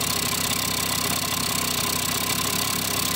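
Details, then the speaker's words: Kawasaki KD80 two-stroke idling and still bleeding out oil: fast light rattle under the exhaust note; owner suspects crank bearings, unconfirmed, rattling noise at idle. "can hear the bearings inside there, so that's not a good sign."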